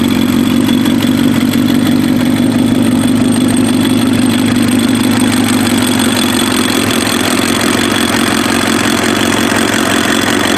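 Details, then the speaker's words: Warm Kawasaki ZX7R race bike on FCR41 flatslide carbs, synced, with fuel screws leaned to 1 turn out; steady, even four-cylinder idle with no popping, stumbling or hunting. Cylinders 2 and 3 sync slightly off; normal idle. "But the idle is pretty smooth and consistent. So I'm going to let you guys see it now, okay?"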